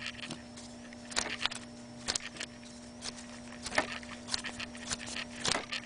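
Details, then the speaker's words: BMW 330i (E46), a brand-new idler pulley remounted on the water pump/alternator/power steering side after replacing a worn one, spun by hand: it turns almost silently, with no grinding or rumble, just light handling taps. "this is the idler pulley this is what a brand new iser pulley behaves and sounds like once is remounted onto the"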